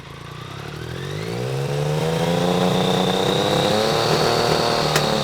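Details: BMW K75 RT after new fuel injectors, cleaned air filter and oily spark plugs replaced, still a bit cold: rev climbing cleanly from idle to steady higher speed, no stumble or hesitation; running normally, better than before.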